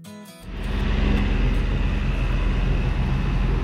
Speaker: We both agreed that the movement in the Cutless bearing was somewhere in the vicinity of 1 millimetre, and not something to get wrapped around the axles about. But wanting to press further, we decided to take it for a test run.